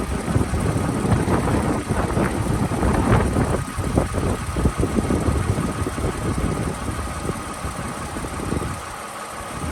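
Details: One-owner 2007 Toyota Avalon XLS, 167,000 miles, recorded under the hood at idle: a low, steady hum with light irregular clatter and no consistent knock; a normal, healthy idle.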